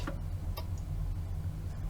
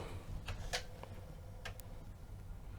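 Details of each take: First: Commodore Amiga 1000 at its first power-up during restoration. Sparse, sharp clicks over a low steady hum as the disk spins; this is the normal, healthy floppy drive ticking while it checks for a disk. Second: 1985 Commodore Amiga 1000, old and dirty before restoration, booting Workbench floppy: scattered soft ticks of the drive head stepping unevenly, no steady read rhythm; the drive fails to read two different disks and needs attention.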